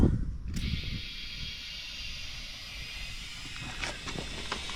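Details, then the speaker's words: Classic VW Beetle project on alloy wheels, tyre being inflated with an airline: a steady high hiss starts abruptly as air leaks from somewhere on the rim. Exact leak point unconfirmed. "so this tire is actually going up but it is actually leaking just from somewhere on the rim can just hear it hissing"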